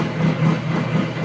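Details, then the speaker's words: Water-cooled high-pressure airgun compressor running, water pump working: even low thumping pulse at steady speed, smooth, no knocks or squeals; normal running, though slow to build pressure. "is doing its job, pumping. The water pump doesn't work, the compressor doesn't work."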